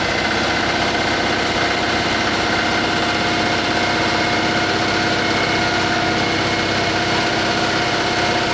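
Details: Citroen 2CV after engine overhaul, 120 miles, valve clearances checked: a busy, even, healthy idle, quieter with no valvetrain tapping, just a hint of exhaust chop from a leak.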